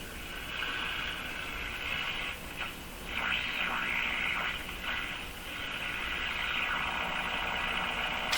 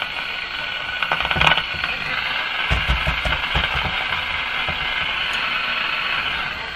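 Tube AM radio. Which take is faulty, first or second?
first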